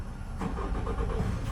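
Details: Yamaha F150 port outboard on a Duckworth boat, after a bad key switch causing intermittent no-crank was replaced: short crank with a firm low rumble, then it catches straight away and keeps running; fix confirmed.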